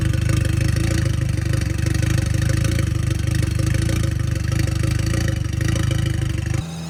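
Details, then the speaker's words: Audi S3 1.8T, about 24 years old, after big service and Haldex repair, exhaust refitted: low droning rumble pulsing three to four times a second under the engine note; worn propshaft center bearing, not the joint. "soon as we actually put the exhaust back on Unleased for a while we did manage to he the noise coming from the prop shaft bearing so I'm actually quite glad it's not the joint"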